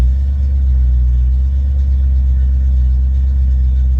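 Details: Ford Mustang 5.0 V8 with rebuilt A9L mass-air ECU just after cold start: deep steady rumble at raised even high idle, no misses or knocks, settling down; healthy.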